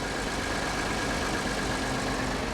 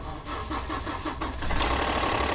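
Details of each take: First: Ford EcoBoost engine at auction, not run for a while, starting with the usual cold-start EcoBoost chatter that quiets down, then a smooth, steady idle with an even drone and no ticking; alternator charging 14.7 V; runs great, normal idle. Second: Ford 3.5 EcoBoost, jump-started after sitting unrun for a while, with the alternator reading 14.7 V. Light, quick valvetrain ticking over the idle in the first seconds after the start, which quiets down; it is called a typical EcoBoost cold-start chatter, and the engine otherwise runs great.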